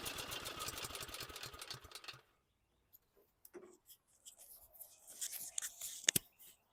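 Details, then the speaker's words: Small 180cc engine from a surplus lot, pull start: after a few pulls it catches and runs briefly with a quick even beat, sounding like an army tank, before cutting out; starts fine. "That worked. That really worked. This thing's a giant engine. Just pulling it over and sounds like an army tank."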